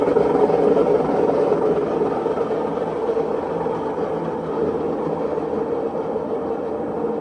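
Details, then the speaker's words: Maytag washer, customer complaint of loud noise: in diagnostic mode the drum spins up slowly then faster, building a steady loud rushing roar; drum bearing is shot, confirmed by play when rocking the drum top. "that's that's hundred percent the bearing the bearing is shot on it"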